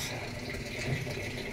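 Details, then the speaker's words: Samsung digital inverter automatic washing machine, after repair for no water intake: steady even rush of water into the tub without sputter or buzzing at water level 3; inlet now fills normally. "So ngayon ito yung first time na testing ko siya. After ko siyang gawin, start. So, yun. So yun, masok na."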